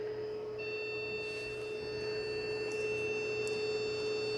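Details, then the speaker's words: Computer connected via KVM switch to an Objet Connex 500 3D printer, first power-on before rebuild: click, fan running, steady high tone with faint repeating beeps about three a second and no video signal. "why is it beeping I don't know if you can hear that but I'm not getting a signal hmm just getting a beep no signal"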